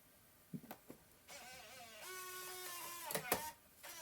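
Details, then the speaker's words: MacBook Pro A1150 optical drive that reads a disc fine but then fails to eject it: a faint motor whine rises and wavers with clicks and scrapes as the drive strains unevenly to push the disc out. "it reads it fine and it oh but oh oh okay that's not good it's like trying to like eject it and it's like not happy"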